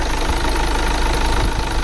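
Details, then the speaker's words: 2009 VW Tiguan 2.0 TDI diesel with earlier misfire/shaking fault, restarted after clearing the code: even low diesel rumble, slight shake but no missing beats, exhaust better. Normal idle; cause of fault still unknown. "he's still shaking a bit but of course this is diesel but it's not that you remember before it was like okay that's that's a little bit the exhaust is better now"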